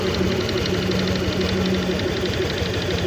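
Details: Honda Click 125 version 3 scooter, 4,575 km on it, idling in the shop: dull, hollow rattle (kalantog) on every firing stroke from the top end; piston slap.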